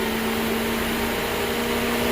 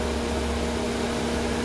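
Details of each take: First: 2007 Mercedes electric cooling fan commanded on for max cooling while diagnosed for sticking on high: steady even whir and air rush with no wobble or rubbing; normal fan operation at this moment, though the motor acts up and will be replaced. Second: 2007 Mercedes cooling fan stuck on high with no fan request, control signal about 6.5 volts: steady, loud rushing hum with constant drone and no change in speed; cooling fan running constantly on high.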